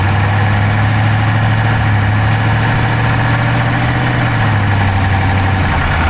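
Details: Dodge Charger Hemi V8 at idle, camera inside the engine bay on the driver's side: quick, light ticking evenly paced with the engine over a steady low idle; no smoke from the pipes, owner doubts a dropped valve, cause unknown.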